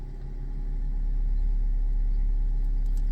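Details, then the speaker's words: 2015 Nissan Juke, after limp mode with flashing dash warning lights and a no-power restart: engine catches and settles into a smooth, even low rumble without knocks or stumbles; normal idle. "everything is good now guys uh there is no [Music] abnormal"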